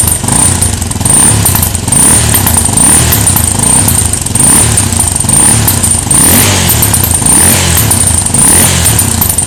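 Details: Djebel motorcycle: single thumps with slow surging rise and fall and a faint high whistle on top; strange noise of unknown origin.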